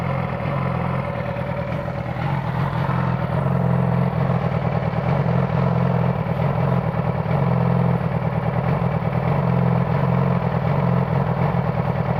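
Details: 2009 Yamaha R6 at a deep, lumpy idle with an uneven, stumbling exhaust beat instead of a smooth four-cylinder hum; a misfire from a failing ignition coil.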